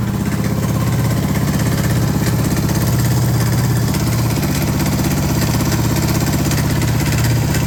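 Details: Suzuki DR650 Dakar SP41B single-cylinder motorcycle idling with a heavy, uneven low thumping and rough knocking edge; owner reports strange engine noises, cause unknown.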